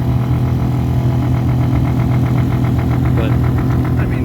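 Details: 2013 Ford F150 heater blower at higher speed steps: steady low hum with quick pulsing rattle and drumming; blower wheel shifted about 1/32 inch off the motor base, leaving it unbalanced.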